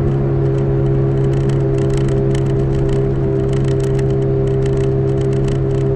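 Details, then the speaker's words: 2005 Toyota Matrix AWD while driving: steady low howl like an airplane from the rear, sounding driver's side, under road noise; owner suspects a rear wheel bearing, both already replaced, cause unconfirmed. "i guess you can hear it and the plane was howling like an airplane in the back"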